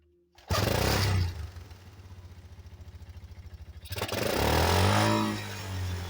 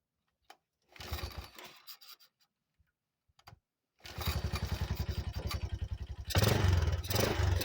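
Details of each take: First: 1985 Yamaha Moto 4 on its old carburetor, started with choke and a little fuel: catches, then idles with lumpy, uneven popping and stumbles and wavers when blipped, trying to cut out; old carburetor blamed, to be replaced. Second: 1985 Yamaha Moto 4 ATV, first start after old carburetor replaced with a new one; after a few cranks it catches and settles into an even single-cylinder beat, no misses, running quieter than ever before: normal start and idle.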